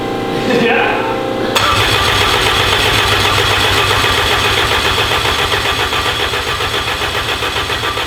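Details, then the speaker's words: Honda engine built for 1000 hp, first start attempt with oil pressure confirmed: starter spins steadily at about four beats a second but never catches because there is no crank trigger sensor signal; cranks, no start. "well we don't have a crank trigger right right now kind of sucks the One sensor that we need it that we need to fire it up is the crank"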